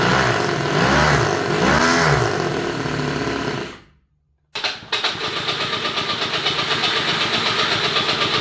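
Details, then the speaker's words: 3D-printed 1/8 scale Toyota Supra with small twin-cylinder glow engine: revs unevenly, dies, restarts to a lumpy pulsing idle; glow plug leaking fuel past its thread despite not being loose, likely causing rough running and hard starting. "I took the wire out and the glow plug looks like it's leaking fuel here so I'm going to have to take it out and see but it's not even loose"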